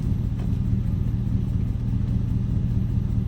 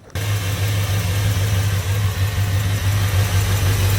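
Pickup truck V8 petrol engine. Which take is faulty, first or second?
second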